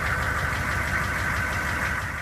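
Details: GM K2500 6.5L diesel running for the first time in a year: rough idle with a steady, heavy knock riding on the clatter every cycle; cause not pinned down.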